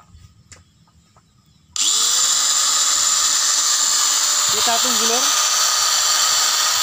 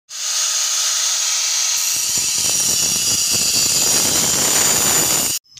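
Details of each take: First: Angle grinder that made a crackling noise from armature problems, after scraping the armature with a bicycle-spoke tool and refitting carbon brushes: abrupt spin-up to a steady even high whine with no crackle or rattle; running normally. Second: Angle grinder at speed: high steady hiss with rough crackling after two seconds; the armature is at fault, with a worn commutator under the brushes suspected, fixable with a tool made from a bicycle spoke.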